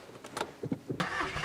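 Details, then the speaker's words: Mk5 Golf GTI, 108,000 miles, 6-speed manual, with an exhaust mod: a few quick cranking beats, then it catches cleanly and settles into a smooth, calm, steady idle; normal start. "So yeah, it does sound quite calm, doesn't it, really? But considering it's had like an exhaust mod at the back as well, it does sound really calm."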